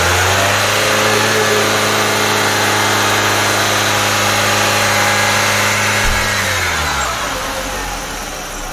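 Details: Used Nissan Serena C24 idling with the air conditioning running: even, steady, smooth low drone, settling slightly lower near the end, no knocks or misses; smooth engine, dry exhaust with no oil residue.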